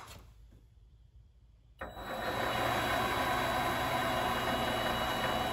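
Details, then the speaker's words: Vevor MX 400 mini lathe, variable-speed motor: quiet, then abrupt jump to a steady high whine and holds, an uncommanded speed surge; owner suspects a failing speed potentiometer, unconfirmed. "so you hear that it just speeds up now if you're at a if you're at a higher speed and it starts doing that you can imagine as soon as you touch that that potentiometer that variable speed it kicks all the way back up"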